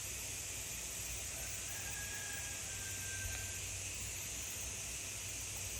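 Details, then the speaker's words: New pressure canner on its first use, venting before it pressurizes: a soft, even hiss of steam blows out the top vent with no sputter, whistle or surging. Normal steam venting shows the canner is working. "I don't if you can hear it but it's definitely blowing out the top here you might be able to see the steam a little bit so we know it's working"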